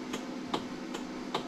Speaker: that's a pretty defined click coming from the four ways and as i walk around the cart the front turn signals are blinking